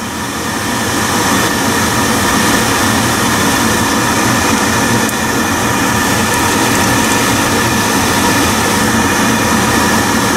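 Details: Biasi B-10 oil boiler with Riello burner, just after bleeding air from the fuel line at the pump bleed valve and resetting, burner cover off: loud steady roar with no sputter, pulsing or dropouts; burner firing cleanly and normally.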